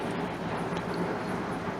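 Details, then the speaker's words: Dell Optiplex desktop that would not boot, after reseating components: powers on with a steady, even whir and low hum, earlier buzzing gone and monitor coming on. Normal running. "so if it's still buzzing when I try to turn it on I take it back up plug the power back in and no buzzing"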